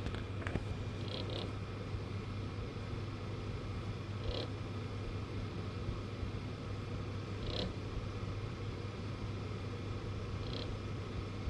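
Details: Galax GPU fans: a low steady hum with a brief light rattle about every three seconds at each spin-up; no cables or obstructions hit the blades, and it stops only if fan speed stays above 30%.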